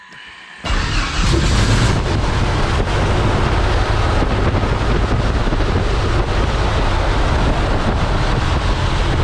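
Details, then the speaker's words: Thorp T-18 homebuilt airplane, unrun for about six months, with fresh fuel and a new starter; after another prime, with throttle cracked, the engine catches and settles into a strong, steady low roar with heavy prop wash, running normally. "Oh yeah. Woo! She runs, boys. Boy, that's some wind."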